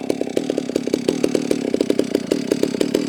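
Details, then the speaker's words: Holzfforma G660 chainsaw warming up on a chilly morning: uneven popping idle of about eight pulses a second that stumbles irregularly, so the low-speed mixture is out of adjustment and needs turning in. "Sounds like my low end might need to be adjusted. Now that it's warming up."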